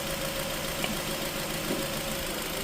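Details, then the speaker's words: Nissan X-Trail with P0302 primary ignition circuit fault, during power balance test after restoring cylinder 1: petrol engine idling smoothly and evenly, no stumble or misfire; normal idle. "and you hear the vehicle went back to no misfire."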